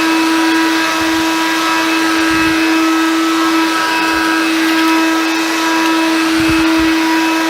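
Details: Hoover Convertible Dial-A-Matic U1124A upright vacuum after clearing a blockage of old filter medium: smooth even motor hum with steady tone, no rattles or surging; running healthy.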